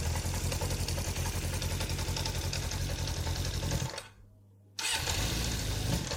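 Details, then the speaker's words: Kawasaki GPX 600R four-cylinder, £150 bike, cold start with vacuum gauges fitted before carburettor balancing: uneven lumpy beat about three and a half pulses a second, brief stall-like dip, ragged running; carbs suspected out of balance. "Now the bike isn't started at the minute, so it won't show anything, but let's start it up. As you can see, it doesn't sound very good."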